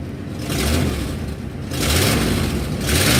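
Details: 1997 Ford F250 with the 460 (7.5L) V8 revving in surges; a raspy puffing edge that sharpens as revs climb; exhaust leak.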